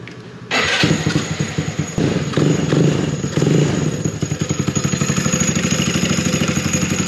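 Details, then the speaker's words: Honda Ruckus scooter idling cold with an open belt drive: rapid, dry, rattling clutch chatter, normal for this uncovered setup; the Navi's cover damps this sound. "The ruckus has an open belt like this, and it's really chattery."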